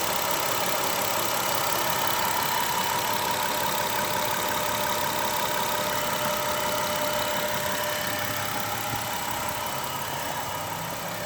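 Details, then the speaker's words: Manual car with steady rpm, restarted after sitting about an hour: light, quick ticking about three times a second over the idle persists; it sporadically wants to die; it had an earlier engine bay fire from a faulty starter ground circuit, since repaired; tick source unidentified. "Okay, video 2, ticking sound. I've let it sit for about an hour, and I still have the ticking sound upon restarting it."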